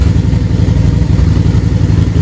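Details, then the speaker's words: Harley-Davidson V-twin with the air box off: deep, lumpy idle with an uneven, loping beat because one carburetor is running harder than the other. The carbs are slightly out of sync and need adjusting. "Just want them both to have a little bit of bounce. And as you can see, one of these is definitely running harder than the other. So they're off just a little bit."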